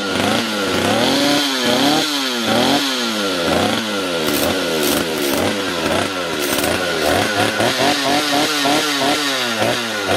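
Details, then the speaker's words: Stihl chainsaw with poor acceleration and erratic idle, after small counterclockwise carburetor adjusting-screw turn: crisp repeated revs climb cleanly from idle to high speed without bogging; simple adjustment fixed it. Normal acceleration. "and here you got it my friend this was fortunately very simple repair it was basically adjustment not even repair"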